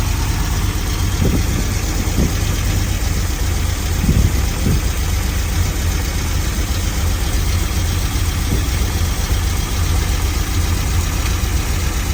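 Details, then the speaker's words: Vintage Chevy van V8 that sat for years, running on an improvised fuel and air supply: deep, low idle with a slightly uneven beat and no major noise. Rough idle, cause not confirmed. "uh as far as I'm thinking that's not terrible it didn't have any major noise but we also didn't get a lot of even id"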